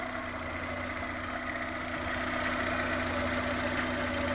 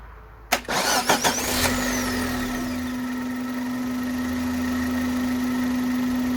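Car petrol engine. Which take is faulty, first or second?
first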